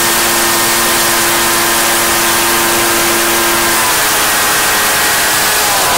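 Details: Echo PB-755ST two-stroke backpack blower, bought new two years earlier, after fresh fuel and carburetor adjustment (it had been bogging and dying under throttle/load); steady high-pitched full-throttle scream holding full revs cleanly without bogging, running normally.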